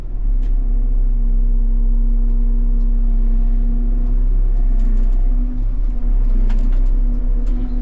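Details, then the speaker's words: Swather running after an earlier squeak; steady low drone, no squeal, just an even hum; squeaking gone, running clean and quiet. "Alright, well, the squeaking is gone. You don't hear that anymore."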